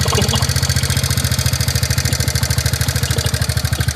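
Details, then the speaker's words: TVS Ntorq 125 scooter, about a month unserviced, before repair: fast, loud, harsh pulsing beat at idle of about twelve hits a second, rougher than healthy. Abnormal idle noise, cause not stated. "এইটো exact এণ্টকৰ main problem এইটোৱে আপোনাৰ শুনিব দেই same problem এনেকুৱা বিশেষকৈ problem এইটোৱে"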